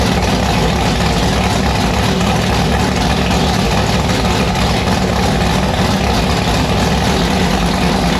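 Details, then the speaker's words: Race car with newly installed 1150 cfm Pro Systems carburetor running E85: loud, hard, lumpy V8 with deep, choppy, violent exhaust holding steady; engine fires and runs fine. "Annabelle started, it fired. It sounds pretty violent."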